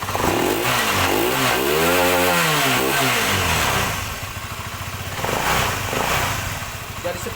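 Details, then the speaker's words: Honda CBR engine after piston replacement to cure top-end (cylinder head) clatter and heavy exhaust smoke: revs climb and drop cleanly, then settles to a steady even idle with no top-end clatter and no smoke; repaired, running smoothly. "Jadi ini sudah halus ya. belakangnya juga sudah tidak berasap"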